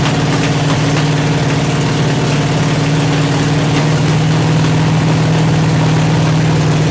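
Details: 383 stroker V8 on an engine stand, not yet in the truck, with open headers and water-only cooling at 210°. Loud, lumpy, stumbling idle with occasional sputters after a 2000–2200 rpm break-in run; idle not yet set.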